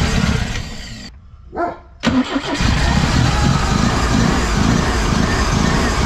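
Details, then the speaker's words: Pinzgauer after fuel pump replacement, first start in about 3 years, cold: brief crank, catches with a rising roar, settles into a steady, even low-rumble idle; normal start. "oh yeah I like that you you could let it warm up it hasn't been warm in a long time that's awesome"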